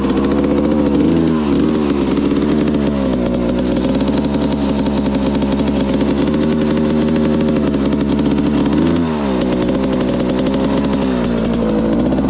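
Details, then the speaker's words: 1995 Suzuki RM125 two-stroke, freshly rebuilt engine and carb, jetting unfinished, pilot likely rich, about 50 degrees: raspy revs hold then sag and cut back like a limiter, bogging under throttle; fuel low. "It's funny, it had like a rev limit around there. I don't know why it's got to run that bad. Didn't like that. Bogging real weird on me."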